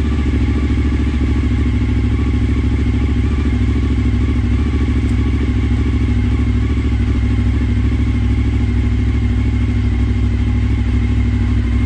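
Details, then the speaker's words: Suzuki SV1000S V-twin from insurance salvage, first start on jump-wired battery; deep loping thump at steady idle, big pistons pulsing evenly, no stray knocks or bangs: normal idle. "down here any significant knocks or bangs other the thump of too dirty great Pistons"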